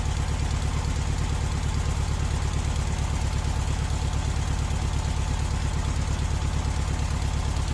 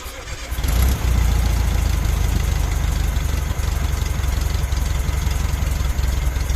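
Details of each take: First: VW Beetle air-cooled engine with weak power, distributor advance out of phase: heavy, even, low dull thudding idle about three beats a second; retarded ignition timing, raising temperature above 2000 rpm; advance should be 32° without vacuum, 42° max with. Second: VW Beetle air-cooled engine after distributor timing set with timing light on the pulley mark: fires after short crank and runs at steady, even idle with no misses or knocks; normal, healthy running.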